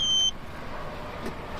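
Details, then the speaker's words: 2012 Chevy Tahoe bi-fuel CNG, idling after starting on gasoline: button pressed, one short high beep and engine-bay solenoid click, then steady even idle continues now on CNG; normal fuel switch-over. "Hear that solenoid, the engine bay click over. And now we're running on CNG."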